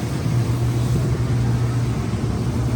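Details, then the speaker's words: Used Roper washing machine after timer replacement, in spin cycle: steady low hum at an even pitch with no banging, scraping or grinding, spinning smoothly and surprisingly quietly. "why is it so quiet there's no way i' didn't be able to hear that from the other room still spinning even over there"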